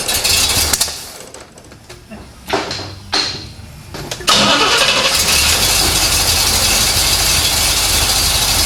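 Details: 1970 Chevrolet Corvette C3 after fixing missing key-on ignition power to the distributor: several seconds of uneven cranking, then catches and runs steadily; distributor timing possibly one or two teeth off, starts and runs.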